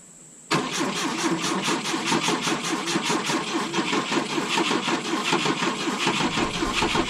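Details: 1972 Volvo 145 on rigged fuel with vacuum ports plugged: steady starter cranking, about three compression pulses a second for seven seconds, never catches; hard start because plug wires were off.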